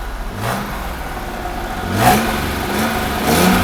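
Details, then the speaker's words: 1982 Mercedes-Benz W126 280SEL after fuel distributor repair and fuel pump replacement, running while reversing: revs up and settles twice with buzzing vibration over exhaust note; broken exhaust pipe resonating against body, needs fixing. "The exhaust pipe is broken. And it makes noise while the engine is running. You can hear a vibrating sound. That's because of the exhaust pipe. It's resonating with the car body."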